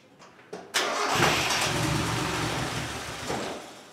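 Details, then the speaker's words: Turbo Miata just after engine transplant: cranks, catches and runs rough about three seconds, then sags and dies; fuel pump never primed, and bypassing the relay made the pump run, pointing to a fault in the pump circuit. "so as you guys saw we had a start but then the car would stall wouldn't stay running I didn't hear the fuel pump priming"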